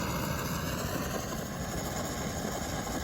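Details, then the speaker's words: 1945 GI pocket stove eyebrow burner, valve stem being opened after priming: steady even hiss with no sputter as fuel atomizes cleanly; normal burner operation. "so there see how that gas is atomizing now you can hear it hissing"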